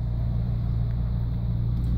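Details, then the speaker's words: Car that had been stuck racing at 2500 rpm, after resetting the idle air control (stepper) valve: steady low rumble at correct idle speed with air conditioning running; valve may need replacing if the fault returns. "agora o carro para a rotação correta olha que legal até amor condicionado e tudo"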